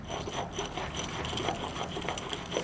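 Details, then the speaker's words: E36 BMW front wheel bearing, sealed bearing likely dried out by grease thrown from torn CV axle boot, causing humming while driving; dry, raspy, rough grinding as it turns; worn wheel bearing, replaced along with hub and CV axle. "cool let's get this swapped out and then I should have no more humming noises when I'm driving I'm so excited"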